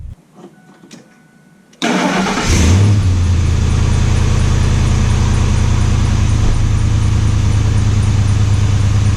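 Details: 2001 Ford F150 SuperCrew with the 5.4L V8, started right after a K&N cold air intake install: it fires with a brief rev flare and settles into a deep, even idle. A clean, healthy start.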